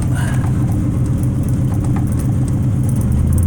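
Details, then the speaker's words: Rat rod with an MSD ignition at idle: pulling out the manual choke richens the mixture and raises the RPMs, giving a steady, lumpy low rumble that picks up slightly near the end, a normal fast idle with the choke pulled. "see there, I'm just pulling out the choke, increases the RPMs. At the same time is richening the mixture."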